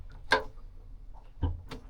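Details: Yanmar 4JH57 with SD60 saildrive on a Leopard 48 catamaran, during a neutral–forward–neutral–reverse shift test after cable travel checks: a few sharp single clunks about a second apart over a quiet bay as the clutch dogs engage cleanly; normal shift clunk.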